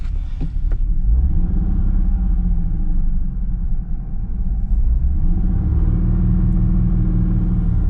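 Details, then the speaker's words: 1996 Mercury Cougar XR7 back on the road after years of sitting, while driving: deep uneven rumble that sags and surges as it stumbles near stalling, oil pressure gauge swinging wildly; owner suspects bad old gas, possibly a clogged cat. "It doesn't sound good. Ooh, I the oil pressure just goes nuts when it's doing that. But it could also be cuz it's like about to stall out constantly."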